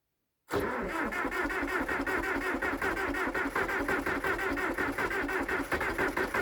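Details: International Harvester Dresser TD8E bulldozer diesel right after start-up, just after replacing the fuel filters: steady, even idle chugging with no misses and no earlier 'helicopter' sound, suggesting the new filters fixed it.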